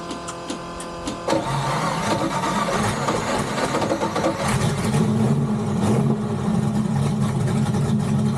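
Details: Turbocharged Flathead Ford V8, restarted after running out of fuel: cranks, catches and settles into an uneven, lumpy run with a ragged rhythm. It still needs more ignition timing and tuning, and possibly fresh E85.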